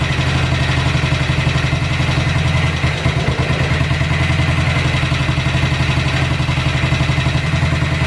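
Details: Cold-start idle on a BSA 441 single with an Amal carb cleaned after water and sediment in the float bowl caused sputtering and missing. A steady, even thump with clean firing pulses and no stumbling; idle and mixture roughly dialed in, to be retuned once warm.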